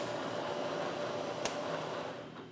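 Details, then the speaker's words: Manual Bridgeport mill taking a side cut with a two-flute end mill: quiet, steady hum with a faint even tone, no chatter or squeal, leaving a great surface finish; smooth cut. "this is a two flute Quin endmill let's fire up nice and smooth"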